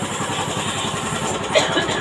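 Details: Old carbureted Honda Beat scooter, after fixing the electric starter that struggled to start it: even, steady idle with no stumbling or misses. Starts and runs fine.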